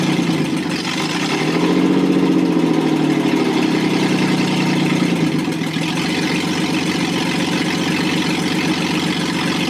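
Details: Rebuilt Toyota 7M-GE, valve seats dremeled, run on a furniture dolly out of the car: revs up, then a loping, uneven idle with a skipping beat.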